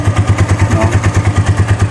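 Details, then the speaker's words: Vperman 150 motorcycle idling; steady thumping with a light metallic tick on each beat that stays despite a tune-up and valve clearance adjustment, source not confirmed. "Kahit anong pa-tune up mo, palit mo ng kung ano-ano, nandun pa rin yung tunog na yan, hindi siya nawawala, no?"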